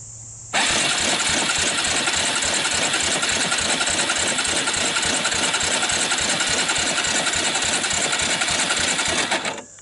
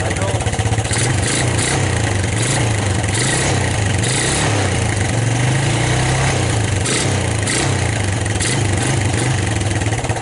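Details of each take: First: 1999 Suzuki Quad Runner LT 160 ATV dry compression test: quick, light, even cranking without firing, reading only 60 (psi); wet test with oil in the cylinder to follow. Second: 1999 Suzuki Quad Runner LT 160 single-cylinder ATV, cold start with choke on, watched at the muffler: small steady thumps with an even beat, no stumbling and no real smoke; normal running.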